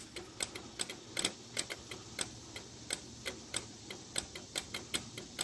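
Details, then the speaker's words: Nitrous solenoid on a Camaro: sharp uneven clicks three or four a second, solenoid chattering and not opening reliably; worked a few times then failed again, owner suspects solenoid or plunger is bad. "but it worked a few times that ain't working again so yeah that solenoid shot or the plunger and it needs changed"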